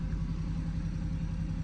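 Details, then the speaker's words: BMW 118i with 42,339 miles at idle with a flashing engine management light: low, lumpy idle with an uneven beat, whole engine and gear stick shaking; a constant misfire. "Flashing engine management light, constant misfire, and drivetrain"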